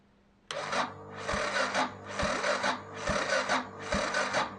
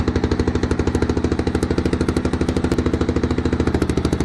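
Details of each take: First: 1993 Yamaha XT 600 E (3TB) that sat about 12 years, no exhaust headers, fuel primed: slow, labored cranking, a heavy heave about once a second that never catches; starter too weak to crank it over, fuel leaking out the exhaust. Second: 1993 Yamaha XT 600 E (3TB) enduro, first run after sitting about 12 years: loud, rapid, even thumping with no misses; the single runs steadily at idle.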